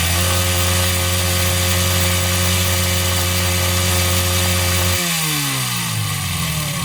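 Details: 139QMB 50cc scooter engine with deliberately ground-down piston skirt and sanded cylinder for large clearance. Fast even rattling knock about four a second, heard at low revs and as revs fall: piston slap.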